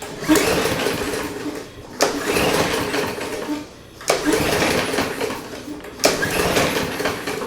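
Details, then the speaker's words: Push mower that sat for several years, first pull-start attempts: four cord pulls about two seconds apart, each a brief whirr with no firing. Cranks but won't start; owner plans carb cleaner to check whether it is fuel-related. "yeah i'm not really hearing too much happening let's give it a little kick of some uh brake cleaner and see if it chugs on that"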